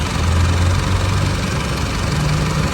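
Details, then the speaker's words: Isuzu MU-7 diesel with over 500,000 km, idling after a no-start repair: deep rumble with loud valve tapping. The engine sounds unhealthy; it needs a new timing chain and a valve adjustment. "คันนี้เสียงวาล์วเขกดังก๊อกแก๊กๆเลยนะครับเสียงเครื่องยนต์ไม่ค่อยเพาะนะควรเปลี่ยนโซ่ลิ้นแล้วก็ตั้งวาล์ใหม่นะ"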